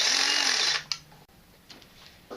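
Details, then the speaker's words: EGO 56V hedge trimmer on a XAVITO 4Ah (claimed 5.3Ah) EGO-compatible replacement battery: brief high-pitched blade buzz at steady speed, clean wind-down, no rattling or strain; trimmer appears to work fine with the battery. "okay ego string trimmer works fine all right ego hedge trimmer appears to be working"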